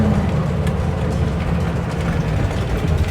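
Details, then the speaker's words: '69 Bronco on first test drive after new intake and carb, retrofitted throttle linkage, oil pressure good: deep, fast, steady V8 idle with no dip or hunt; super high idle, idle screw needs backing off. "Oil pressure is good. Got a bunch of rust falling out from under the dashboard. That's not great. Super high idle."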